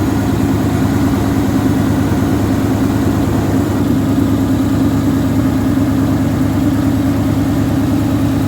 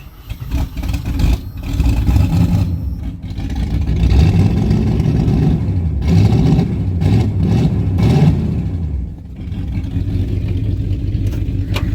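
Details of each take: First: 1977 AMC Matador sedan V8 idling with a steady, even low rumble, no knocks, misses or ticks; runs well, though brakes are shot and heater core leaked coolant; normal idle. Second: 1977 AMC Matador sedan with 360 5.9L V8, cold start then heavy blipping revs with a raw, booming, unmuffled bark and smoke; missing muffler on the exhaust.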